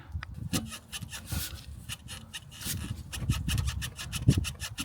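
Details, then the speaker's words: Vauxhall Corsa, wheel rocked by hand: repeated dry creaking squeaks with visible play from a worn front strut top mount bearing, needing a replacement strut top mounting. "can definitely hear it squeaking and hopefully on camera you can see the movement. So, we're definitely going to need a strut top mounting uh from that point."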